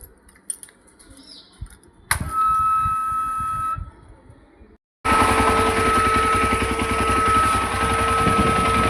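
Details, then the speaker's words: Yezdi Adventure motorcycle after its second service: a constant high-pitched whistle sits steadily above the engine note at the same pitch throughout; source not yet pinned down. "गाड़ी में से constant whistle का sign आने लगा है second service के बाद।"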